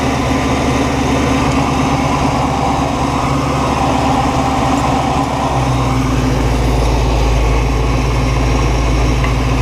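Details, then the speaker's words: 1969 Buick Special Deluxe V8, warm, idling steadily around 700 rpm after carburetor rebuild, timing and idle mixture set, fuel filter and vacuum lines fixed: deep, slightly choppy cam lope, otherwise smooth. "Okay, we're right at like 700 and it's idling. I got no brakes. Listen to that cam."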